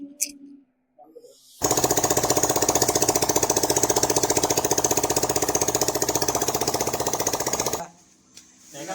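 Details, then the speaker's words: Hero Super Splendor BS6 engine just rebuilt and refitted, first start on the self-starter with the silencer not yet fitted (open pipe): loud, crisp, evenly spaced exhaust beats at a steady fast idle; oil circulating fully and the engine runs well. "तो देखिए जो oil था पूरा चढ़ने लगा और हमारा जो इंजन है काफ़ी अच्छा बन गया है।"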